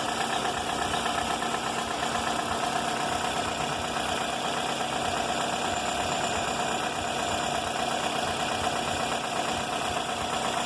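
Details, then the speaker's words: 2004 Toyota Corolla after a full engine rebuild (pistons, timing chain and tensioner, valves, VVT) on 15W-30 oil, still with a continuous loose tapping of about three a second that rises and falls with throttle and was present before the rebuild. Engine knocking. "esse defeito esse barulho começou antes de fazer o motor fiz um motor do carro barulho contínuo pode ver que ele aumenta e diminui quando acelera"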